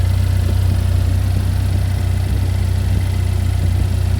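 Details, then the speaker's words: Chevy Equinox after an engine replacement, running just after first start-up: smooth, even low idle with a steady pulse, no ticks, knocks or misses. Engine runs cleanly. "I said we just started up for the first time, right when you called. It's running right now."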